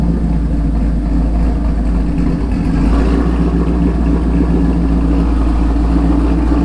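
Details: 2017 Camaro SS 1LE V8 on stock exhaust, before installing 1-7/8" stainless Speed Engineering headers and X-pipe: deep, even burble, steady rumble with light throttle blips, no ticks or rattles; healthy.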